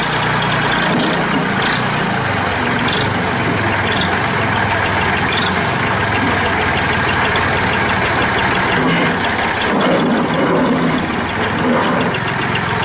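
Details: 1997 Massey Ferguson 240 4x4 diesel tractor with loader, 1881 original hours, 2-stage clutch, 8 forward/2 reverse speeds, started to run through gears: steady, even low-idle diesel chug, no knocks, misses or rattles. Normal idle.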